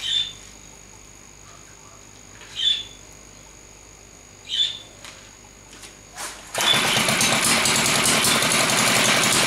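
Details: Villiers MK10 two-stroke firing two sparks per revolution: a few single pops while turned over, then it fires and runs with a sharp, rapid crackling exhaust like bullets; healthy running.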